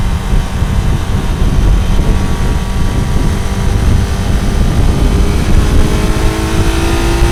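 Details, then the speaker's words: Kawasaki motorcycle after sorting out cylinder one, which wasn't firing: picks up cleanly, pitch climbing steadily as it revs, firing on all cylinders with slight roughness; fine-tuning and new exhaust still pending. "na hát ennyi volt végre úgy megy ahogy ennek mennie kell így legalábbis nagyjából hát érzem hogy van még azért beállítani való"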